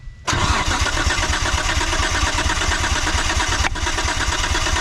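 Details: 1998 Mitsubishi 3000GT VR4, long-sitting, compression test on rear bank: rapid, even cranking chug with no stumbles, reading about 155. Normal compression cranking.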